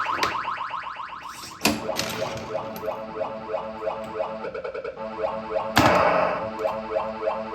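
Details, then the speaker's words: Bally pinball machine before teardown, background sound restored via dip switch setting, side kickout cleaned of rust; busy electronic chimes and tones with playfield pops and rattles as the ball plays; working normally. "So, you guys hear it? It works. Seems like everything's working on the playfield and everything."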